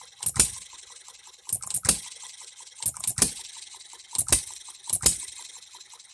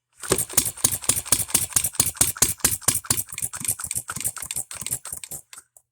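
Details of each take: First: Economy hit-and-miss engine after new piston and re-ring, freshly oiled, no cooling water yet, seating rings: sharp firing bangs about once a second, some paired, with quiet coasting gaps; hits hard, healthy hit-and-miss cycle, governor to be slowed. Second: Economy hit-and-miss engine after new piston and rings, hand-flipped with starting adapter: sharp uneven popping firing strokes about two per second, running rough; owner suspects ignition timing advanced too far, firing too soon.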